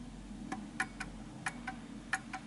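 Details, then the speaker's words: Enfield Westminster chime Art Deco mantel clock, pendulum still off center after nudging: ticks come in lopsided pairs, short then long gap, instead of even tick-tock, then the clock stops; out of beat, needs nudging left. "and you can hear the ticking but this is still off center because i can tell by the way it's ticking slightly off and it will stop there we go see that just stopped"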